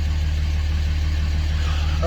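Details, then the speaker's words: 2006 Dodge Ram 2500 Cummins 5.9 diesel, 225,000 miles, warm day: steady smooth idle around 700 rpm, down from 750 before, within range; normal idle after replacing the fuel control actuator (AFC) to fix hard start and stalling. "and whoa, and she went right up to 700. A little bit lower than before, but that's well within range."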